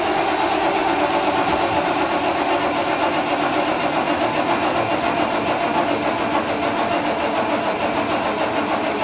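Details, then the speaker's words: Carbureted Ford Bronco after the distributor cap was swapped from a spare engine: the starter turns it over steadily but it never fires. The fuel filter is now full; low battery or low fuel is suspected, and the cause is unconfirmed. "I'm not sure what's going on I'm just more looking the fuel filter is full now so the carburetor should be starting to fill up low battery low fuel you know okay I'm not seeing anything obvious that would make it not start"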